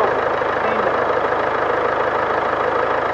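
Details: 2016 Land Rover Discovery Sport 2.0 Ingenium diesel, about 101,400 km, brought in for a tapping noise and engine warning light, after an oil top-up and change (low oil suspected): even idle clatter, tapping gone; oil consumption, possibly turbo, still suspected.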